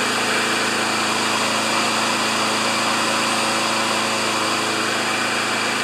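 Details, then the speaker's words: Riding mower after rusted blade adaptor repair and deck reassembly, choked, first test start with belt tension uncertain: steady, even high-pitched buzz, constant speed, no misses, knocks or surging; runs healthy. "First initial test sounds good."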